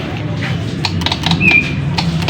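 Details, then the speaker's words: Honda CBR150R motorcycle that won't start: sharp, uneven, loud clicks from the starter relay under the seat with no cranking, despite a fairly new battery. "dengan keluhan tidak bisa distarter ya teman dan ini hanya bunyi cetik-cetik di bagian dinamonya ya"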